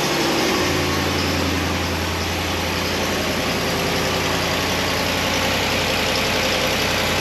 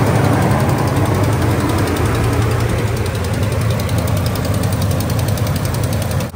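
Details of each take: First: 2017 Ram 1500 5.7 Hemi, 120,000 miles, cold start after fixing broken exhaust manifold bolt and replacing gasket: steady V8 idle with only the light normal valvetrain tick, loud exhaust-leak click gone. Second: 2017 Ram 1500 5.7 Hemi on a fresh cold start after sitting overnight: quick, sharp, even ticking in step with the engine over idle. Exhaust manifold leak from a broken bolt, loudest cold, before repair.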